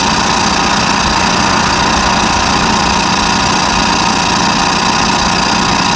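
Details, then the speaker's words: Trailer electric brake drum being resurfaced on a lathe: loud metallic cutting roar with uneven pulsing chatter, about a hundred a minute, as the tool crosses the area by the lugs; interrupted cut. "that that's where we're in by the lugs that's why it's making that noise"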